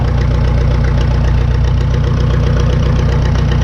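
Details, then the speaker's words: 1952 McCormick Super WD-6 tractor, ignition on and choke fully off, throttled down to idle running on straight gasoline; deep, steady low thump with no misses, knocks or hunting, a normal smooth idle. "throttles down some okay now that's running on straight gasoline now"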